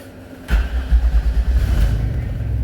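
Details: 1997 Chevy Astro with a no-crank fault, after the remote start relay wiring was disconnected: brief crank, catches, surges, then settles into a steady, even low rumble at idle. Normal start and idle.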